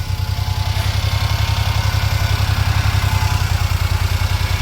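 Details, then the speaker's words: Daihatsu Hijet mini truck after carburetor cleaning, stale fuel replaced and new alternator belt: even, steady low putter at idle, no knocks, ticks or misses; quiet, normal idle. "It's good. No funny noises. And it's quiet."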